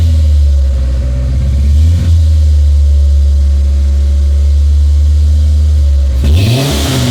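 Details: 1996 Ford Ranger after fuel pump replacement, first run in over a year: steady even idle, no misses or knocks, slightly high; smoothed out, owner expects idle to learn down; battery light on, filler neck leaking.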